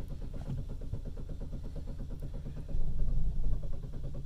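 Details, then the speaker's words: Chevy Cruze, hot after about 30 minutes running, stalled then won't restart: starter cranks steadily about four beats a second, briefly seems to catch, no start; no trouble codes, cause found to be a poor ignition coil connection. "is tries to start there for a minute so this seems like it's uh something that probably happens when the vehicle gets hot"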